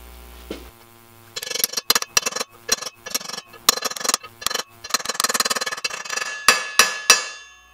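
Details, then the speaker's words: Hammering a new wheel bearing into a Yamaha XJ650 Maxim motorcycle wheel hub. The uneven metal taps ring sharper and brighter as the bearing bottoms out, fully seated. "again you can hear the sound when it's all the way in there you go wheel bearings done"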